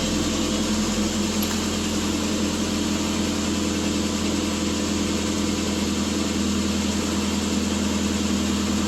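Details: 2006/2007 Subaru Impreza 2.5i cold start after repair, radiator removed and coolant being burped, coolant 114, VVL lift mode 1: smooth even idle, steady low hum, no hunting; normal idle.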